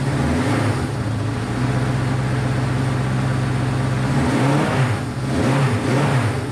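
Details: Honda CB500 four-cylinder after carb rebuild and float reset, on auxiliary tank; idle wanders and dips, stumbling beat, firing on all four but struggling to hold idle.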